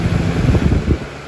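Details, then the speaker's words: 2000-01 Lasko 3733 box fan with heavier frame and motor: soft steady rush of air with no rattle, tick or hum, running normally on medium. "See, it's very powerful on high. For what it is. Real powerful."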